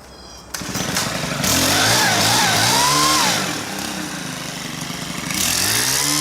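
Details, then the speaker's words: Stihl KM130 two-stroke, after a leak problem thought resolved, running blower at full throttle: revs crisply and holds a steady high buzz, pulling cleanly with no misfire; running perfect. "so it's actually running perfect right now I'll set these up here and watch me blow some dust around here and listen to her see what you think sounds pretty good I think"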